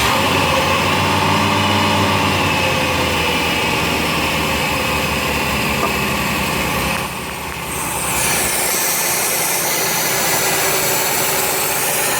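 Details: 1990 Oldsmobile Cutlass Supreme idling with a steady airy hiss over the engine that briefly drops then returns; vacuum leak.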